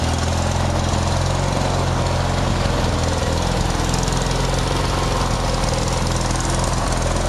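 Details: Craftsman DYT4000 lawn tractor, just fully fixed up: the small engine holds a steady low chug with no knocks or surging; running normally.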